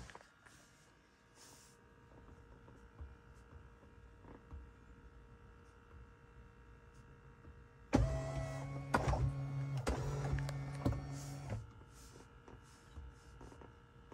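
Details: Tesla Model 3 parked in a quiet cabin: a steady low electrical buzz or ground hum from the dashboard/center console area, starting after the 2022.36.6 (v11.0) software update; source unconfirmed.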